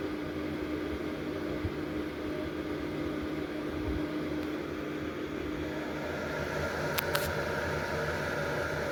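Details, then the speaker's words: Lakewood model 767 heater, 120 V, 1500 W, switched from 695 W to 1500 W setting: steady, even fan rush with faint constant hum at higher fan speed, no rubbing or rattle; normal running. "And crank it up to 1500 watts. And that powered the fan up to higher speed."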